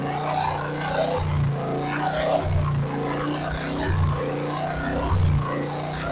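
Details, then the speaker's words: Royal Enfield BS4 with hydraulic tappets, after adding oil to cure hydraulic tappet noise: even single-cylinder thump at steady low idle with no top-end ticking; sound back to normal; normal idle. "Normal sound ആയി"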